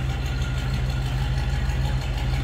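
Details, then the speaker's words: 1949 Cadillac Series 62 sedan, 331 V8, restarted after an earlier cold start: a deep, even burble with a steady low thrum and no knocks or misses. A smooth, normal idle. "just kind of sounds like you'd expect that Cadillac V8 to sound of course 331 we're getting away from the inline engines"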